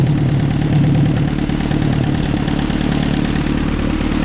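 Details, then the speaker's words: 1944 Ford 2N tractor, bought for $200, restarted after carburetor cleaning and warming up: small-tractor idle with light ticking over the low exhaust beat, not perfectly even; valve tick suspected, possibly a tappet, and the carb is leaking. "I don't know it sounds Ticky to me it really sounds Ticky"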